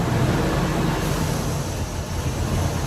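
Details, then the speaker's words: 1998 Ford Expedition, about 151,000 miles, chasing codes P0401/P0402/P1401: vacuum applied to the EGR valve at idle opens it, giving a deep, loping, stumbling rough idle as exhaust gas floods the intake, which shows the EGR valve works. "You kind of hear how the motor just gets all of that. So you know the EGR valve is opened up correctly because it's flooding that intake with those exhaust gases."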